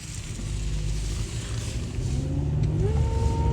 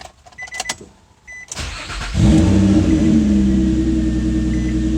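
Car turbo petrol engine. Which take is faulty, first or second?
first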